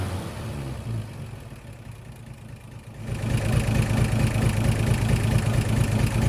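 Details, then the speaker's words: 1963 Chevrolet C10 Stovebolt straight six, all six cylinders reconnected, high idle after valve lash adjustment and a week of Marvel Mystery Oil; uneven low lope about two beats a second, stumbling irregularly; low compression, number 3 cylinder losing compression. "Well, it's not 100%, but definitely sounds better than with just 3 cylinders. Alright, so a week of Marvel Mister Oil doesn't seem to have helped anything. In fact, we actually seem to have made things worse. We have a clear pattern now of the number 3 cylinder losing compression, so it's on its way out the back door."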